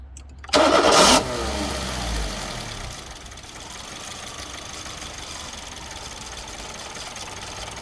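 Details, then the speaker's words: Suzuki Swift with rev hunting, restarted after a noisy part was isolated: cranks, catches and idles roughly with a bad misfire, then somewhat clearing up; diagnostic fault codes read afterward. "now she's running with a bad misfire but now she's somewhat clearing back up"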